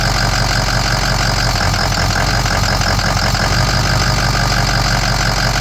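Loud diesel clatter at idle with an uneven, lumpy beat of about three pulses a second; the engine is idling rough.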